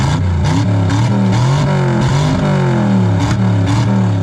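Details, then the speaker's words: 1963 Chevy Impala wagon V8, after disconnecting transmission linkage that was causing a problem: crisp blips rising and falling cleanly without hesitation; normal revving. "Now That's working great. All right, so that was a problem there. There it is. Wow, this is awesome."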